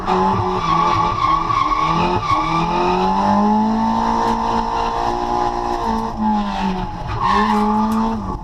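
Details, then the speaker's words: Drift car after dyno retune (140 kW, about 200 hp) and new fuel pump, on track: engine pulls cleanly through rising and falling revs with tire squeal, no misfire or stumble; healthy engine under load. "And as you can hear, the car sounds so much more happy with the uh with the new fuel pump and that retune. It was just on song."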